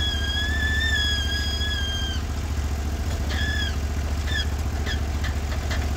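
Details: Norwood HD36v2 bandsaw mill with new roller guides replacing the ceramics, slabbing big black oak in 1.5-inch cuts: even engine drone under load with a light whistle from the band, no bogging or chatter; band sounds happy, normal cutting.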